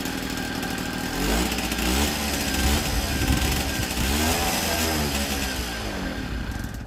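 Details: 1964 NSU Quickly S23 3-speed two-stroke moped, first start after engine rebuild, on premix (32 ml oil per litre); crisp buzz rising and falling with throttle, firing evenly with no misses or knocks, healthy.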